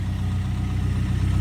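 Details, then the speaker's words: Ryan's truck at warm-up idle after sitting a couple of weeks, first run since its MSD ignition box failed; new spark plugs fitted. Deep, smooth, even rumble, no misfires or ticks; carb sounds very healthy, running super smooth. "But if you guys hear the carb, bro, it's sounding very healthy. The truck's actually running super smooth."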